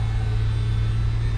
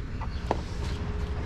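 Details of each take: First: 2005 PT Cruiser convertible power top, after fixing it with transmission fluid and simple hand tools; steady, even low hum with no surging, whining or knocking as the top lowers; hydraulic pump running normally. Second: 2005 PT Cruiser convertible power top pump with empty hydraulic reservoir; deep steady groan slowly climbing as the motor labours and struggles to move the top up or down; strain from low fluid, refill planned, no visible leak.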